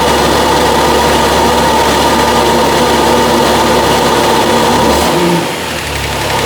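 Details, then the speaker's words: Kia Stinger GTS 3.3t, 66,000 miles, just after HPS cold air intake install, mic placed farther away: start-up with loud intake and turbo rush, then calming to an even idle with no knocks or misses; normal idle. "Now the car is sort of idled down, but you can really hear the air intakes and the turbos there at first after I started up the car. Now it's calmed down, but it really sounded cool."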